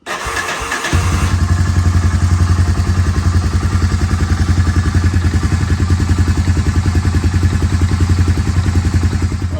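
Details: 1999 Honda TRX300 just after an oil and filter change (about 2 quarts of 10W-40): cranks, catches within a second and settles into a steady, even idle thump with no knocks or misses; sounds healthy.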